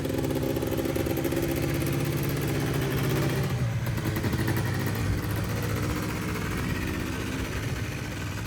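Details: Polaris Trail Boss 350 two-stroke quad, abandoned 15 years, after carburetor clean, fresh fuel and jump start; steady idle, even slightly loping beat, no misses or stumbles; runs clean.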